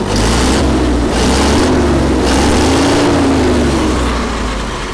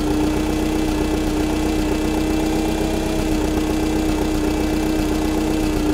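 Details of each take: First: Allis Chalmers FP-40 vintage forklift after complete fuel system overhaul (carburetor, choke cable, plugs, gas tank), air filter fitted; steady low idle, perhaps slightly fast of the 500–550 rpm spec, with gentle swells as the governor rods trim speed; runs evenly, governor working normally. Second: Allis Chalmers FP-40 forklift engine, first run after full fuel system overhaul and four or five months sitting: idle mixture screw turned in too lean, idle goes lumpy and uneven under a steady drone, rough idle from lean mixture.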